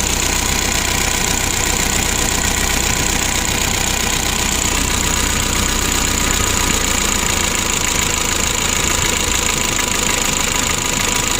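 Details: 2011 Mitsubishi L300 diesel, hard starting and low power, during injection pump adjustment: rough, fairly steady knock near four per second over a hissy background at idle; idle clearly rough, cause unconfirmed.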